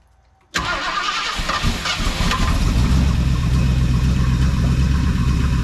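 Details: 1976 Ford Ranchero 500, 351 Modified 400, fitted with an electric fuel pump, first start: brief crank, then fires and settles into a steady, deep idle with a slight rise in revs. Blew oil out but has oil pressure; normal start and idle.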